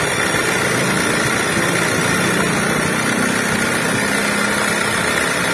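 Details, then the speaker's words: 2005 Honda Jazz VTEC idling with the AC on, a constant rough hum and whirr over the engine that makes driving uncomfortable and appears when the AC is switched on. "Ada suara berisik yang bikin tidak nyaman untuk berkendara Hai marilah kita keluar kita cari permasalahannya Hai Luna suaranya belum sekali preketek ini baik kita gas nah ini Lor suara inilah yang menjadi penyebab suara mesin jadi berisik"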